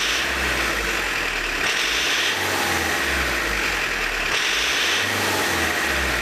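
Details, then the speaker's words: Tractor diesel with Lucas DPC injection pump, injection timing advanced further (about 1.5 mm early): hard clattering as it is blipped, sharp combustion rattle, works harsher yet smoke still fine; advanced injection timing. "Стал еще жестче работать. Но по дыму вроде еще ничего. Можно еще на меньше делать. На раннее зажигание."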